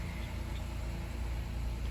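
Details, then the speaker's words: 2016 Honda Accord V6 after replacing faulty battery: steady even low rumble, no knocks or misses; smooth healthy normal idle. "that that sounds happy there you go wonderful"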